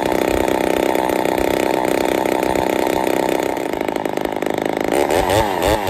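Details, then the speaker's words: Ported Poulan 245A chainsaw with bow bar, first start, cold: high-pitched buzzy scream at steady revs, wavering near the end; running a little lean, starving a touch, needs carb tuning. "still need to do some tuning but uh she's a little lean you hear it starving just a touch that's all right though"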